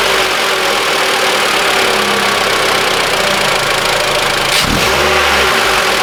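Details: Mitsubishi ASX 2013, 1.8 petrol, CVT, FWD, 448,000 km, warmed engine: steady even idle with clean shutdown and restart, no belt-drive squeal or rattle; intermittent noise not appearing; fault was alternator overrunning clutch pulley, replaced in place.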